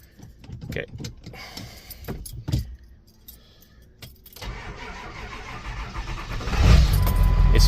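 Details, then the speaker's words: 2002 Ford F350 Super Duty diesel, 411,372 miles, no-start-in-park fault from loose shifter column screws: starter churns slowly for a couple seconds before diesel catches and roars up; slow cranking. "it's slow cranking. So, before it would not start because it wasn't in park."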